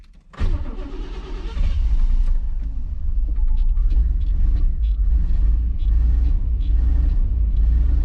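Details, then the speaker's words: 1991 Chevy Silverado OBS small-block V8, 399k miles, driving: uneven, stumbling rumble that lurches and falls on its face under throttle; owner wondered about bad gas. "Does not like throttle. Hopefully we make it back to the house. Oh man, rough city."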